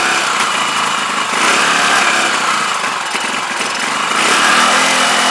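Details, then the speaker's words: CPI SUV125 scooter just after carb clean and rebuild, run outside with choke held up; raspy, uneven, wavering and stumbling beat instead of steady idle; still not right, cause unclear. "see if it sounds any better gotta hold the choke up now because it's spring i did so outside [Applause] not right definitely not right"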